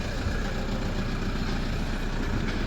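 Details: Toyota Hilux diesel after fuel filter change and priming out air: steady low rumble at idle, even and unbroken, no misses or knocks; normal idle after starting with the right key.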